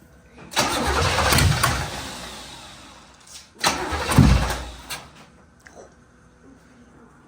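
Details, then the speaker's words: 1980s GM V8 (1987 Camaro Z28 or 1985 Monte Carlo) just revived after storage, with no radiator hoses or water pump belt fitted. Two loud raw rev blips fade away with a harsh open bark because the mufflers were ripped off. "hit it again guess there's no Mufflers on this one wow that's right they got ripped off remember yep I forgot about that"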